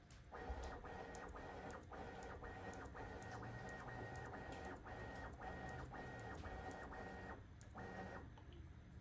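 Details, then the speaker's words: Bambu Lab P1P 3D printer after lubricating the Z-axis belts under the printer to cure squeaking: bed moved bottom to top, even stepper whir in steady pulses, no squeak or chirp. Normal Z-axis movement. "so no more squeaking seems good"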